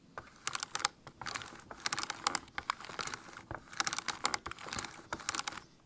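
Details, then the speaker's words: Steering clock spring with airbag and wheel off, turned by hand with microphone close: bursts of dry plastic clicking and rattle instead of smooth rotation; faulty clock spring suspected. "I hope you have heard that small rattle there. It shouldn't be doing in that way. It should be nice and smooth."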